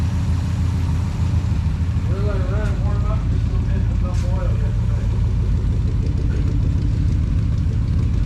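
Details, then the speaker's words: 1962 International Harvester C112-110 pickup, V8, idling after Holley two-barrel carburetor rebuild with Trick Kit and mistakes corrected; deep, even burble running on all eight, no shake or miss, true dual exhaust with glass packs, no fine tuning yet; normal idle. "beautiful beautiful running on all eight not a shake so we my Lord what a good running truck"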